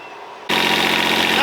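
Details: Catalina 36 sailboat engine started after replacing the Oberdorfer raw-water pump impeller: it catches abruptly and settles into a steady, even idle with a smooth low rumble and no misses.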